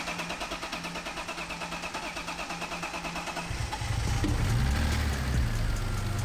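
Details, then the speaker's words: BMW M3 with 267,000 miles, first start after engine pulled, stripped to short block, fully re-gasketed and re-timed, with aFe intake and exhaust: starter cranks about three seconds, catches cleanly, settles into smooth, steady idle; healthy. "Oh, she's purring, dude. Yeah. Look at this. This engine runs so good, dude."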